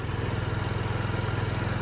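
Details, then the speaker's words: Idling 2007 Diamo Retro 50 GY6-type single-cylinder scooter after a new intake tube install, left running to charge the battery. Even, quick idle with a steady low pulse and no misses or rattles; sounds healthy, and the original fuel petcock is kept. "It's running now. I'm gonna let it sit and charge up anyway with the battery. Sounds like it's running good, so guys, I don't know why, but I'm not even gonna change the fuel petcock, even though I have one coming."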